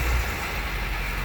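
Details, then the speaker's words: Nissan Maxima, manual, sat a long time with completely dead battery, just jump-started with a portable booster: loud steady rough roar with no distinct knock, quieting down as it settles. "noisy isn't it it will quiet down in a second there you go winding down"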